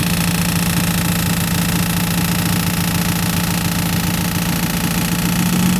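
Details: Engine after a tune-up running steadily; a low hum with a rough, fast ticking or knocking rhythm over it, an abnormal noise whose cause is unclear.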